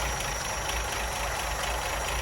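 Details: Ford Mk1 Granada 3.0 V6 Ghia being recommissioned after fuel lines were replaced and the power steering rack was found leaking: a steady, even warm idle with a smooth low beat and no knocks or misses.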